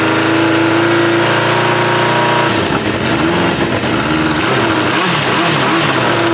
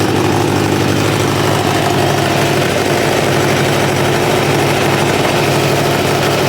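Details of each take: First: 1986 Kawasaki Ninja 600R being revived: rough, lumpy idle with an irregular beat and a wavering tone. Owner thinks it is running on three cylinders and also has an exhaust leak; neither is confirmed. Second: 1986 Kawasaki Ninja 600R four-cylinder with a coolant leak, idling while it warms: steady, even, smooth idle with no knocks or misfires. It runs nicely.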